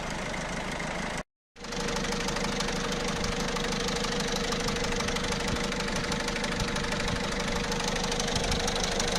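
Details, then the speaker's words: Peugeot/Citroën 1.6 HDi diesel at idle: fast metallic rattle, about three per second, swelling and fading, from the chain linking the two camshafts; slack camshaft chain with a broken tensioner guide. "هو الصوت هذا اللي موجود في المحرك، كون الدوبل اربراكام في الامبوان 6 اتش دي فيهم شان حديد، كاتين حديد تربط ما بين اثنين اربراكام، ما بين الاثنين تاع الاربراكام، ما بين نصوص الاربراكامات."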